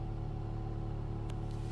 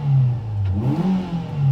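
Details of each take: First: Ford Fiesta ST petrol engine idling: steady metallic buzz-rattle over low rumble from heat shield vibrating on exhaust manifold; disappears with a little rev. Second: 2006 Ford Fiesta ST 2.0L, exhaust awaiting welding: the engine blips up cleanly a few times and revs fall back to idle promptly and smoothly, with no hesitation or misfire. A normal rev and return to idle.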